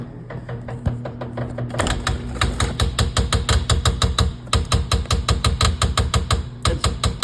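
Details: Two-year-old LG refrigerator: rapid, loud knocking about four hits a second over a low steady hum, recurring every few hours; expensive fridge failure.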